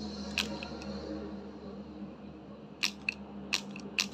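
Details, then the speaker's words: Used Hilti 14.4V cordless tool, body in good shape: only a few sharp irregular clicks when the trigger is pulled, motor does not spin up; tool dead, fault unknown. "Đó, nó kêu cạch cạch cạch chứ nó không chạy nhá."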